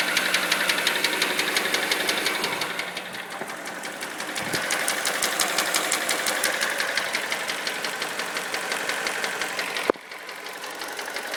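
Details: Mini Cooper N12 engine at idle: a sharp, steady metallic knock about three per second from the bottom end. It was retimed with a new tensioner but grew much worse after 300 miles; rod knock suspected.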